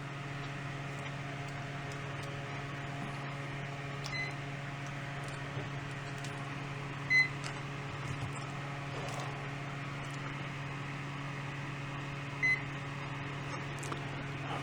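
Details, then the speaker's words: Fan running on clean line power of about 121 V from the wall, fed through an APC Back-UPS 450 before switching to battery: steady low hum at constant full speed, no wobble or rattle; normal running. "That fan will run perfectly on 117 volts of clean power."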